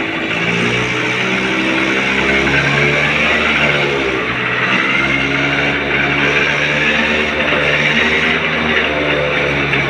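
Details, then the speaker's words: 30-year-old TVS Scooty ES scooter just started after fixing its starting problem by refitting the spark plug and cap. Steady, even small-engine drone with a clean firing beat and no knocks or misses; running healthy. "গাড়ি আমার start হয়ে গেছে।"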